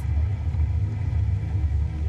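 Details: Studor drainage test tower with the pressure-relief system switched off: a deep, continuous low rumble with no knocks or tones as air and water surge down the drain stack without pressure relief; cause suspected, not confirmed.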